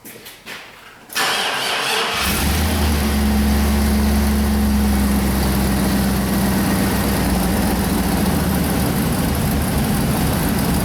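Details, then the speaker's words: 2002 Chevy 2500HD 6.0L plow truck, previously a crank no-start with no spark or fuel, tested on a scope with the crank signal pulled to 0: fires after a short crank and runs with a loud, lumpy, rough idle; possibly leaking oil. "Oh boy, she's running like she's got a big thumbstick in her. I can't let it run that long."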